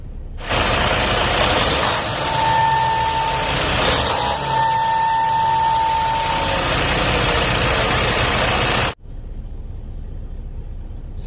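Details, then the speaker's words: Semi-truck diesel: a thin, steady high whine over the heavy engine roar occurs only when throttle is released and rpm falls after revving; cause unknown, owner plans a dealership visit. "so the only time it happens is when i let off the throttle if i rev it up as soon as the rpm start come falling back down it'll make that noise"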